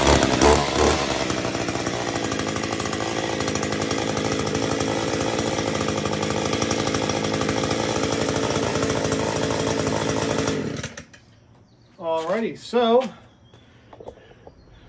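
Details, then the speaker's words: Echo SRM-210 trimmer after a new carburetor, running on the old spark plug (the new plug was possibly mis-gapped). A crisp, steady high two-stroke buzz for about ten seconds, then a clean shutoff; it runs properly after the carb swap. "Put the new carburetor on. Took a little bit to get it running, so sometimes it happens that way, but now it runs. Sounds pretty good."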